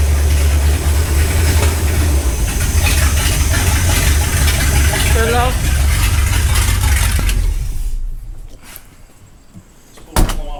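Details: Ford Galaxie 500 V8 on first start after restoration, third attempt after belt tightened; lumpy uneven running that drops off before a sharp pop; suspected excess fuel from a leaking carburetor, floats possibly too high, unconfirmed: rough running and backfiring.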